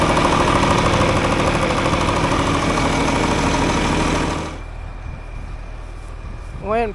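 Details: Tractor running after replacement of a leaking hydraulic pump O-ring, with oil topped off, left running to check for leaks: steady, even diesel clatter at idle with no knocks or whine, then it cuts off.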